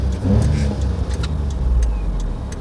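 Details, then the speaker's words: Perodua Kenari on a test drive after alternator belt work for wet-weather squeal: low even engine rumble, no chirp, squeal, chatter or whistling; belt drive healthy. "we'll go for a quick run in Desmond and see if the noise has definitely stopped. Well, it's all sounding good."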